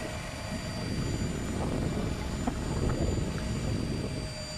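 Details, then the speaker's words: 2014 Nissan Pathfinder pre-purchase inspection in winter, hood open: even idle rumble with a thin, steady high whine just audible from one side, not changing; source unclear, possibly normal. "now engine sounds good however there is a small wind I can hear from this site not sure what it is not sure if it's normal"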